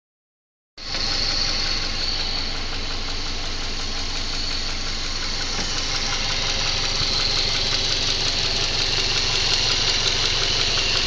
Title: Стук в двигателе EJ204